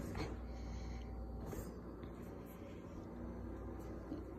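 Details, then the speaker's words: New Whirlpool refrigerator: steady deep droning rumble from the cabinet that stops when a hand is placed on it or the door is opened; something vibrating, with a broken track also noted, cause not found. "then this track is kind of broken and I think we need a new fridge strike has kind of broken it doesn't the track is broken and it's making a loud sound"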